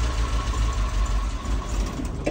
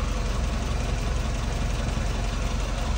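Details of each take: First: Mazda E1600 Bongo ute after topping the radiator and winding the idle screw 1.5 turns out. With the choke fully in, the uneven lumpy idle sags and dies within seconds. It still won't idle without choke. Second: Mazda E1600 Bongo ute after about two minutes adjusting the idle screw, not yet warmed up. Low, slow, steady idle with a soft even beat and no misses. Owner may raise it slightly; no tacho fitted.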